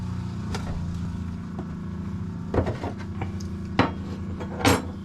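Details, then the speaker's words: 2021 Aspen Trail 1950BH RV during de-winterization, bypass set to tank, pump switch on: low steady motor hum with a few handling knocks; water pump running normally, pushing air and antifreeze out and pressurizing. "so here is my uh my pump switch right there you can hear the pump going"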